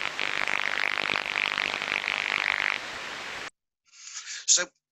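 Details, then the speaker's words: Airborne ultrasound of a medium-voltage (1–60 kV) plant during a pre-shutdown inspection: dense, repetitive crackling and fizzing. Low-level corona discharge pinpointed to the edge of an insulator, with 50 Hz indications in the FFT. "you've all heard that clearly what we can hear there is repetitive crackling sounds"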